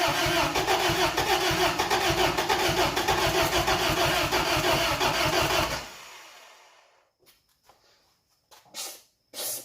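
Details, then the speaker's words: 1992 Isuzu pickup with manual gearbox, after years of sitting, choked, owner says O2 sensor is bad: ragged, lumpy firing at about three beats a second that sags and dies after six seconds; runs rough, cause unconfirmed. "heck no it's gonna backfire she is not a happy camper"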